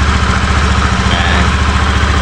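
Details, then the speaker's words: Honda Beat FI v2 scooter at idle after replacing the worn bearing at the CVT drive: steady, even idle with a smooth low pulse, the rattling and gravelly rasp gone. "Ganda Naikot wala na yung M paltik paltik dito yung akala mo yung ano gumagaralgal"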